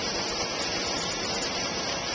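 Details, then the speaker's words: New Centurion E+ two-speed pool pump replacing single-speed pump, solar-panel pool with automatic cleaner, on high speed drawing about 6.5–7 amps: steady even rush of water and motor, no whine, grinding or knocking; normal running. "right now we're on high speed as I said you can see by the amp meter that we're still drawing about the same cence as before around 6 and 1/2 to 7"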